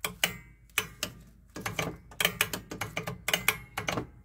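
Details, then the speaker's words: Club Car golf cart after fitting a new solenoid, same voltmeter hookup: as the pedal goes down, all five solenoids click in one after another, crisp and clean with no chatter, and voltage shows on every click; normal solenoid engagement. "and now it's very consistent every time it clicks you get the voltage foreign as you push the pedal down you hear all five solenoids kick in"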